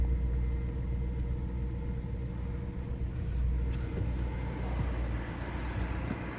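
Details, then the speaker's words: Freshly tuned-up BMW V8 (rare non-M model) just started after new spark plugs on all 8 cylinders, gaskets, oil change and new air filter: smooth, even low rumble at idle, super steady, no misses or stumbles; normal idle. "So you guys hear the idle, it's super steady idle."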